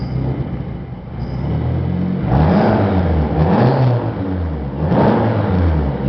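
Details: 1995 Eagle Talon TSi, 4G63, 200 miles after new timing and balance shaft belts: lumpy idle surging and sagging every second or so, backfires and dies, acts like jumped timing; compression and coil packs test good, alternator not charging, owner suspects ECU.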